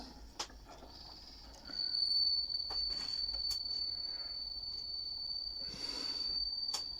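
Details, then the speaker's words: HMV 102 gramophone motor: a thin, steady high whistle at 78 rpm that is absent at lower speeds. It is suspected to come from the leather pad on the speed governor brake. "вот он писк такой не писк Ну свист на меньших оборотах его нету"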